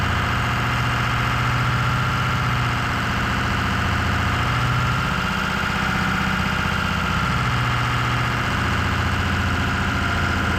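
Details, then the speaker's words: Ford 6.0 Powerstroke Excursion at idle after blue wire manual fan switch mod: steady diesel idle with a low whoosh swelling then slowly fading as the fan clutch engages and releases over 30–45 seconds; working normally. "Alright, so as you guys probably heard, you could clearly hear the fan kicking on and then kicking off. He said it takes a while to kick off. It gets slow. So it seems like it's working just fine."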